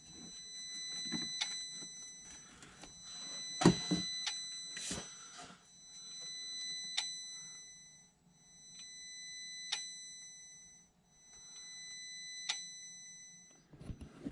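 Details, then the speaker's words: International MaxxForce intake throttle valve actuator, code SPN 3464 FMI 0 (1288, ITVH OCC self-test failed): whining hum with clicks as the sticking valve strains and barely moves. "So you hear that humming. That's that trying to move. You hear it clicking. Let's see, it's moving a little bit. A little bit."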